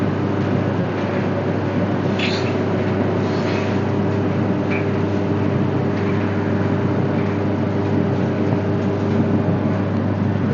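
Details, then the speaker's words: Whirlpool dryer that would not heat, running after the heater was replaced, now blowing very hot air: steady, even low rumble and faint constant hum with no knocks, squeals or scraping; normal running with heat. "now you can uh yeah I'm feeling it's very hot yeah coming from the machine"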